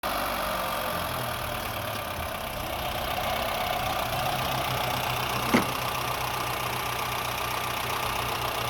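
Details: Honda Fit engine misfiring at idle: uneven idle with an irregular stumble and loose beat under the steady hum, one cylinder missing.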